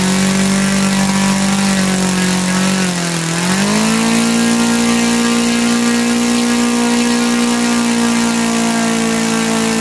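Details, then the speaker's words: Laser four-stroke model engine from a Flair DR1, earlier no compression and would not start; after the carb, which had lost its factory settings, was reset, it runs cleanly: steady high buzz dips briefly, then holds slightly higher, needle not leaned out. "Well, there you go. That was a resounding success. I didn't even attempt to lean the needle out. I just know it runs and I'm happy with that."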